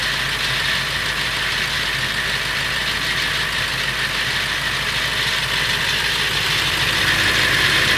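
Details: Late 1999 Ford F350, 7.3L Powerstroke diesel idling: fast, fairly regular metallic rattle about three per second over the clatter, more pronounced under the truck; owner wonders if flexplate or engine, cause unconfirmed.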